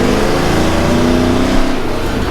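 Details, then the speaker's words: Chevy Squarebody truck with a tired 305 V8, cherry bomb muffler jammed in and crudely welded on mismatched exhaust piping (1¾ to 2½ to 3 in); clean, smooth pull with rising deep exhaust note, no misfire or hesitation, healthy acceleration. "there we go that's not bad for a tired 305 Drive nope so when you're pushing the exhaust through it's good"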